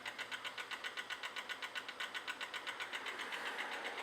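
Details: 2005 Kia Optima with water pump/timing belt work underway; quick even pulsing electrical whir about four beats a second, no engine note, likely from the key left on after turning the engine to top dead center. Cause suspected, not confirmed.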